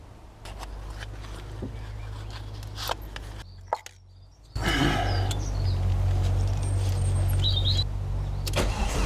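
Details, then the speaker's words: Volvo S40 with Holset HX40 turbo on new Speeduino ECU: steady, even cranking at about four beats a second never catches; ECU reads no engine speed though fuel smelled; crank sensor polarity found wired the wrong way, timing out. "i think i actually had the crank sensor polarity the wrong way so uh timing was out somewha"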